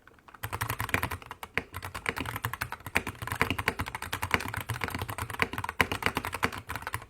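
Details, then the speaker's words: Wooting 60HE keyboard with Lekker V1 switches, clear ABS keycaps, KBDfans case without brass insert, polycarbonate plate and foam; fast typing gives high-pitched pingy clacks and rattle from wobbly switch stems, more than Lekker V2s. "So yeah, it's a lot more high pitched, a lot more pingy. You can just hear the rattle. You can literally just hear the stems being way more wobbly than the lekker V2s."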